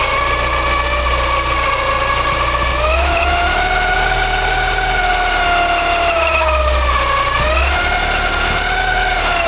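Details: Porsche 944, 2.5 naturally aspirated 8-valve engine: steady high squeal and grinding noise over idle, pitch following engine speed, hard to locate but coming from the front; owner suspects oil pump or balance shaft, unconfirmed.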